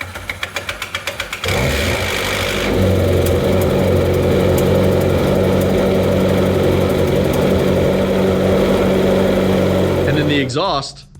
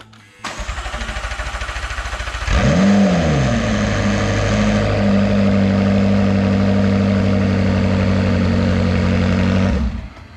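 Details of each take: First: McLaren 650S Spider cold start: quick ticking while cranking, then a loud busy idle, a loose timing chain rattling from a non-working tensioner before oil pressure builds, easing slightly after; separate from its bad cam phasers. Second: McLaren 650S Spider V8 after cam phaser repair, first start with oil but no coolant, run only seconds; starter whirs, the engine catches and flares, then settles to a steady even idle with no timing chain rattle.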